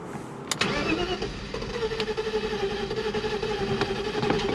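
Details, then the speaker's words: 1993 BMW 325i E36 M50 Vanos, crank no start: steady starter whir with even compression pulses about four per second, never fires; fuel present and injectors pulsing but no spark on several cylinders; cause not yet found. "Well, I'm currently at a loss. So obviously it has fuel, injectors are pulsing, but I checked for spark again and I don't have spark."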